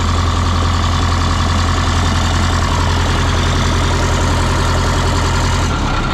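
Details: 1977 MCI coach with 8V71N Detroit two-stroke diesel, restarted after freeing three stuck injectors that caused a runaway: heavy, steady low rumble, beat constant throughout, no misses or knocks; normal idle.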